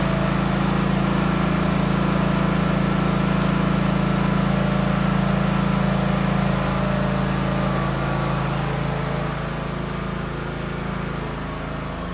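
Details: Craftsman DLT 3000 riding mower, about 2010-2015, after engine repair and reassembly; an even, steady low engine drone with no knocks or rattles, holding speed under light load while driven through the gears, healthy.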